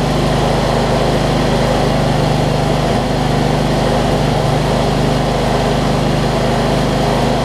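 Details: John Deere LT166 riding mower, retrofitted with a 46-inch deck from an older John Deere, idling after its starting issues were sorted: a loud, steady, even drone with no misses or knocks. It idles smoothly and sounds healthy.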